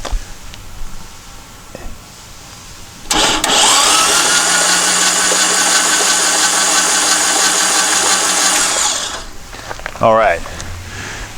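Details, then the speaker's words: Long-stored dune buggy/sand rail engine cranked by shorting the starter solenoid with a booster pack on the battery terminals (no battery fitted): fast, even starter whir for about six seconds, turns over freely, no water shooting from any cylinder, no hydraulic lock. "and didn't appear to be any water or anything shoot out any cylinders"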